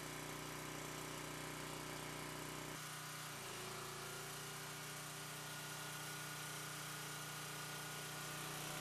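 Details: Vintage Briggs and Stratton generator with rebuilt Pulsa Jet carburetor, after cold start: single cylinder humming at constant speed, steady drone shifting slightly midway but running evenly; healthy.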